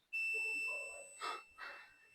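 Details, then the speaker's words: Nissan D23 21-plate diesel, ECU offline, 20A ECU feed fuse blowing again: multimeter on the red main feed wire gives a sharp, steady high beep for about a second; wire shorted to ground in engine harness. "So we're gonna see, or we're gonna check or test, if you like, if it's shorted to ground or not."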